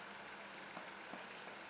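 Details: Peugeot 308 driving over small road ripples: dull, irregular light knocks thudding through road roar from the front gas-oil shock absorber strut, which looks dry and works without sag but knocks internally; not repairable, replacement needed.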